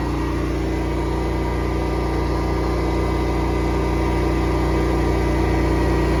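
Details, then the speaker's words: Honda EB11000 generator running on propane with a 34 A, 240 V load applied: steady, even engine drone at constant pitch with no surging or misses; holding speed well under load. "listen for how little change there is in the sound of this generator when you you slap a 34 uh amp load on this thing, a 240 BKW. And uh, it's amazing."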